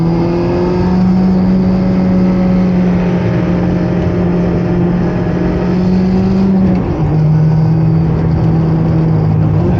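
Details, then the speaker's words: Loud transmission whine inside the cabin of an ND Miata, first drive after installing a CAE Ultra short shifter: steady droning whine, much louder on throttle, as the shifter leaves a gap exposing the car's underside; owner thinks noise deadening or another boot would help. "But also, I can hear the transmission directly now. It's whining a lot louder and like I'm basically there's basically more of a gap that just reveals the bottom of the car now."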